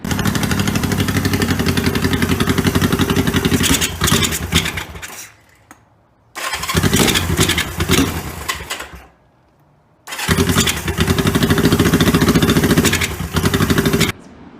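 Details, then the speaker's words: 1973 Honda CL350 that sat over winter, carbs cleaned: catches and holds a fast, raised idle for a few seconds, then dies, repeatedly. High idle and stalling from a sticking spark advance. "It has some issues where the time the advance keeps sticking. So idle's really high and then it'll die out, and so that's kind of a common problem."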